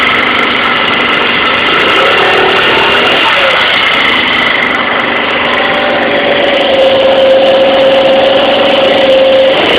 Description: 2012 Tao Tao ATM-50A scooter sounds like a family of squirrels is fighting. I thought it was in the belt housing, but I am beginning to beleive it is coming from the rear tire/brake area.